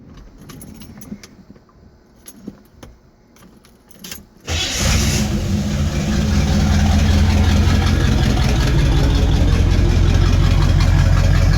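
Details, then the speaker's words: Base 1974 Corvette C3 L48 V8, owned 13+ years, old non-stock exhaust before replacement: cranks and catches into a loud, rough, deep rumbling idle; raw dirty note because one muffler is missing. "oh it's got a nice dirty sound but the sound is from it not having one of its mufflers"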